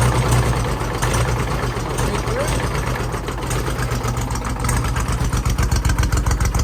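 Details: Mid-1980s Kubota B7200 3-cylinder diesel subcompact tractor, cold start at about 15°F after glow plugs, no fuel additive: loud, hard, slightly uneven clatter at idle, typical of an old diesel just after a cold start.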